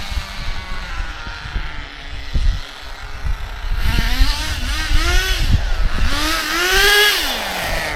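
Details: Acme Condor Pro A3001T 1/10 nitro RC buggy, circa 2002–2005, unrun for almost 20 years, engine preheated, driving passes on road: high buzz rising and falling in pitch, pulling cleanly without stumbles, though owner noted some funny noises.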